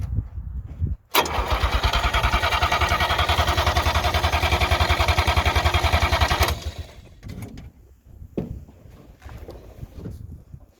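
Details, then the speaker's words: 1958 DKW pickup, three-cylinder two-stroke, first start attempt in a long while on a temporary gravity-feed tank: the starter turns the engine over evenly for five seconds, then stops without it firing. Cranking, no start. "all right we've been having some trouble getting this uh rig started"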